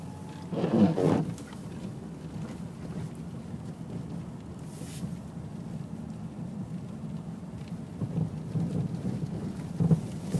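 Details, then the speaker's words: Mazda Millenia driving with irregular dull knocks from the front right suspension; stabilizer links, bushings and ball joints already replaced, shock absorber fine, cause still undiagnosed. "Не знаю, вам слышно или нет, но очень неприятно стучит."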